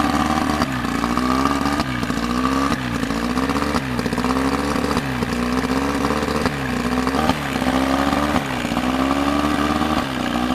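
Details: Evinrude two-stroke outboard after water pump impeller replacement: buzzy note revving up and easing back about every second, no knocking or grinding; normal running.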